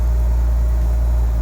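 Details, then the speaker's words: Nissan 300ZX Z32 VG30DETT twin-turbo V6 after correcting a mis-set reassembly that stopped it starting: deep smooth even idle on all six cylinders, no ticking or misfire; lambda mixture 14.6–14.9, coolant 80 degrees; normal idle. "Donc là, elle tourne sur tous ces cylindres, c'est nickel."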